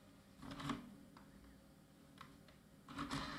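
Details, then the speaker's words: Salvaged scrapyard IDE optical drive set as master, ejecting after the system powers up: short whirring motor bursts and clicks as the tray strains, pauses, then finally frees, a sticking eject mechanism, probably from not being opened for a long time. "ah okay maybe wasn't open for a very long time and got stuck"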